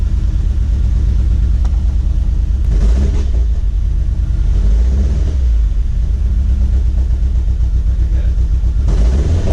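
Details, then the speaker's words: Chevrolet HHR turbo build, engine after retiming and a new tune; steady even engine note with a few clean throttle blips, no stumble or miss, no fault codes; normal running. "We started up the car, we got no codes. We let it run for a little bit, still no codes."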